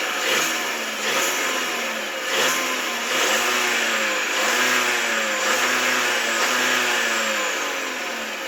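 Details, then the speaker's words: Volkswagen Tiguan under warranty, just collected after six days at the main dealer, who found the problem was the PCV/breather pipe behind a rattle and lack of power: at idle, a new metallic whine swells and fades about three times a second, source unclear. "It's got like a mechanically wind to it now. The whole thing sounds terrible."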